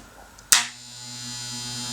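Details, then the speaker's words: US Wahl clipper run at 60 Hz through a frequency converter instead of a 50 Hz 240-to-110 transformer: switch-on click, then smooth steady buzz with no banging, normal operation. "it operates normally. And the reason it's operating normally is because at 60 Hz it's a faster movement."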